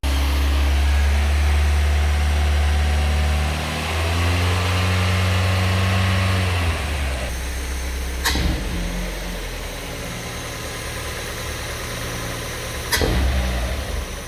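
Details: Mazda MX5 track car engine on new Megasquirt running alpha-N on the standard manifold, before ITB fitting: after some revving it settles into a steady, even idle of about four firing pulses a second, with two sharp clicks; running cleanly.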